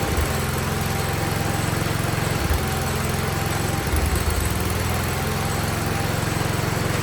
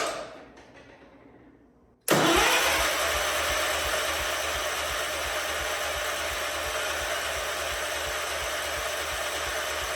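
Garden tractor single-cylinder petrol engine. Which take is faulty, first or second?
second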